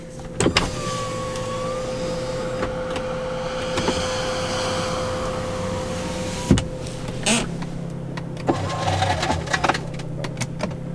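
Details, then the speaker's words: Older Chrysler Sebring sedan with the power window running: a steady motor whir with scattered clinks and rattles of loose broken glass inside the door panel. "now if you're listening carefully you'll hear the sounds of glass all in the door panel just cool yeah listen one more time ah doesn't sound good doesn't sound good at all"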